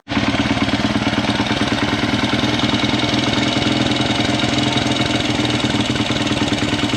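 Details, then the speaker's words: Honda 100 pit bike after fitting a discount Amazon carburetor: small single runs fast and steady at idle with a busy, even patter and no dips; idle set too high, to be adjusted down. "one last thing it idle pretty high so we're going to go ahead and adjust the idle down"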